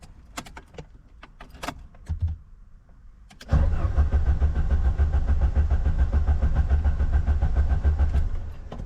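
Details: Ford Sierra RS Cosworth left in a garden for over 17 years, on old low fuel: after some fumbling the starter cranks at about three and a half even beats a second but never fires.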